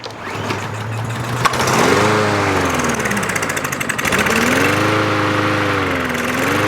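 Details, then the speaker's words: About one-year-old 2023 Craftsman M110 140cc mower that died while cutting and won't stay running. Seafoam is in the fuel and two-stroke mix is squirted into the carb before the pull. It catches on the primer shot, then revs up and down unevenly: fuel starvation, suspected clogged carburetor jet. "so by it running and dying means that the system is priming but not enough fuel is getting into it so something must have clogged up the carber"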